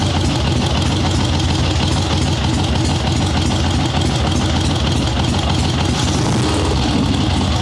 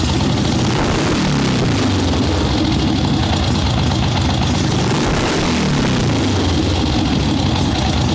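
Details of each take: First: Ironhead Sportster swap-meet chopper with Mikuni VM38 carb after starting/idle jetting adjustments, fresh plugs, cold wet day, no choke: loud lumpy V-twin idle, small throttle blips pick up cleanly; runs even, substantially better than before. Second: Ironhead Sportster swap-meet chopper with Mikuni VM38 carb being jetted for starting/idle circuits, fresh plugs, cold wet day, no choke: loud lumpy V-twin taking throttle much better, but revs climb slowly with brief hesitation; still a little boggy off idle.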